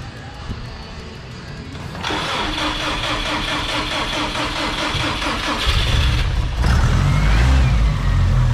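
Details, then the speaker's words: First start of a freshly built RalliSpec short block and heads, motor primed beforehand, with Grimmspeed top-mount intercooler, dual fuel pump setup and speed-density tune: a short crank, then it fires promptly and runs evenly with no knocks or rattles. Normal first start. "so we just finished priming the motor and vince here is actually i think going to start it up for the first time"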